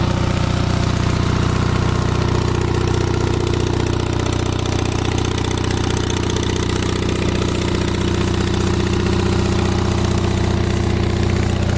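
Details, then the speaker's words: Onan 5.0 CCK-4R 5kW three-phase dual-fuel genset, enclosure closed, started by remote start: steady, even drone at constant speed with no knocks, misses or surges. No smoke, 123–124V output; runs smoothly. "This is how it sounds. No smoke. We're running 123, 124 volts."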